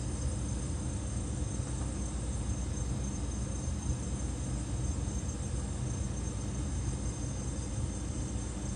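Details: Refrigerator condenser fan with back panel removed: steady hum with a thin high chirping squeal on top; squeaking suspected to be dry fan bearings, planned fix is greasing the bearings.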